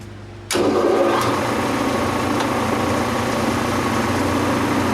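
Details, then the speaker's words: Quincy Model 325 air compressor running on its tank with a secondhand motor and a new single-phase starter, oil pressure 18–20 psi: a steady fast thump about four times a second over a rough whir. The motor bearings sound worn. "Got that motor secondhand. The bearings don't sound the greatest in it, but hey, we're just gonna run with what we got for right now."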